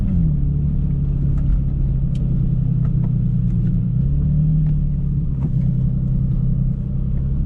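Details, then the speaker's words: Car with a new cheap aftermarket muffler, recorded at highway cruise from inside: a steady, loud, low droning boom over road rumble; the cheap muffler drones badly. "i'm just gonna let you guys know don't buy cheap mufflers yep it does not sound good at all"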